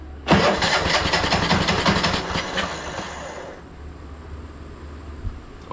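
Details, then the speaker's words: Craftsman T1200 riding mower, free scrapyard rescue, cranked after carb spray with choke checked: slow labouring crank about three strokes a second, never catches; engine was very hard to turn by hand, owner wonders about valve adjustment; heavy current draw, jump pack just under 13 V; compression release fault suspected. "sounded like it wanted to start take the choke off I wonder if this thing needs a valve adjustment because it was so hard to turn earlier by hand"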